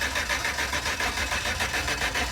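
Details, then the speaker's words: 2010 GMC Savana van with cut wires underneath; even starter cranking that never fires, crank no-start with no spark confirmed on test. "so we're going to be dealing with a no spark issue right now so"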